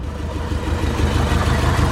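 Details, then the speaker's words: Porsche 944 that sat for years and would not start, first start after cheap wiring fix: low lumpy idle with uneven stumbling beat and dips, engine shaking; suspected slight misfire. "oh my gosh wow it actually sounds okay uh sounds like we're misfiring a little bit you can see it's shaking something I hear like s"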